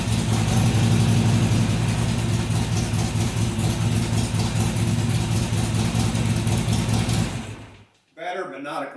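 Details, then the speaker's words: Harley-Davidson XR1200 V-twin on cold start after a leaking throttle body was addressed and idle settings reset to stock: idle settles near 1000 rpm then surges to 1500 and drops, repeatedly hunting; cold over-rev reduced but surge cause still unknown. "it would settle down to about a thousand RPM then it would go up to 1500 drop back down and go up drop back down I don't know why it does that and that's what I'm trying to fix so"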